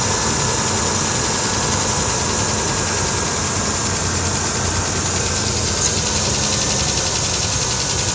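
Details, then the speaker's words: Engine at idle: fast, light ticking running steadily over a smooth idle, keeping time with engine speed; owner suspects engine knock, cause unclear. "Hear that clicking noise? Yeah, it's right here."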